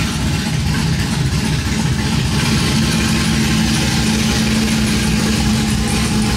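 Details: Cammed 5.3 V8 Chevrolet Silverado after long tube header, x-pipe, plug and wire install, open headers without exhaust: loud choppy idle loping about three times a second with deep rumble; healthy.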